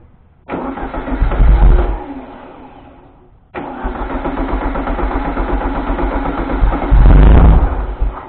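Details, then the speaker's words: 1973 VW Thing, first start after restoration: it cranks and fires, runs a second and dies, restarts, revs briefly, then stumbles and quits. A fuel problem is suspected, and the 12V constant feed is being held with a screwdriver; cause unconfirmed. "Do I need to hook up that 12-volt constant so I don't have to sit here and hold it with a screwdriver? So it stays running?"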